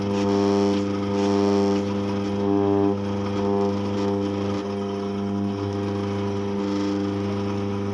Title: Eureka Mignon Single Dose Grinder - Vibration and noise problem